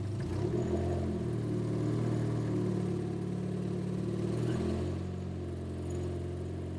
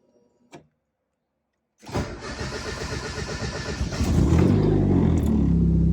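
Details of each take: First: Turbo 1.6 Miata on first start with an NB6 intake manifold, Skunk2 throttle body and -6AN fuel lines, running very rich: revs sag after a blip, then a lumpy idle barely hangs on; the idle screw probably needs adjusting. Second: Turbo 1.6 Miata with NB6 intake manifold, Skunk2 throttle body and -6AN fuel lines, after adjusting the idle screw: brief crank, then a steady, even idle holding on its own; smooth, healthy.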